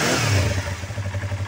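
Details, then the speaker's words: Used Yamaha R25 250cc with a stock engine: a quick throttle blip falls back to a smooth, even thrum with no tapping or ticking, a healthy engine. "ada bunyi tek tek tek Itu bersih motornya masih standar"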